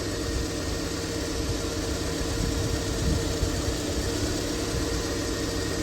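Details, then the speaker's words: 2001 Honda Civic after power steering pump replacement, front raised, wheel turned lock to lock to bleed air: steady idle with faint constant hum, no whine or groan; pump running normally. "Um, and I'm going to turn the steering wheel lock to lock to remove any air bubbles in the system."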